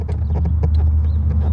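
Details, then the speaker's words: 2004 Dodge Intrepid after LED turn-signal conversion with a new flasher relay: sharp irregular ticks over a low engine hum, with a few extra clicks when signals or hazards switch on and off, though the lights flash normally. "if you notice there's a few extra clicks so there's on off I don't know why it extra clicks but it sure does"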